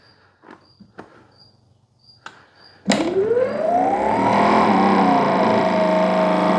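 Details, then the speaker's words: New Greenworks Pro 3000 PSI electric pressure washer, first sound test inside the garage with the hose and water connected: the motor spins up with a rising whine and settles into a steady, smooth, quiet hum, much quieter than a gas washer. Running normally. "[Music] That is super quiet compared to a gas one like my Troy belt. All right, this is awesome."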